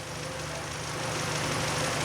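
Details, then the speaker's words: 2012 K5 2.0 gasoline, 100,000 km, after repair: damaged metal bearings from lubrication failure fixed and oil pump replaced; steady, even idle with no ticking or knocking, timing code cleared, idle within normal range. "엔진 시동 을 걸고 나니 타이밍 관련 오류 코드 가 사라졌습니다 . 그리고 센서 출력 데이터도 살펴보겠습니다 . 예 . 엔진 공회전 은 정상 범위 내 에 있습니다 ."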